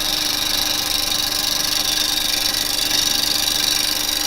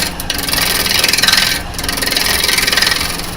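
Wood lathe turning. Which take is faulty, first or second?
second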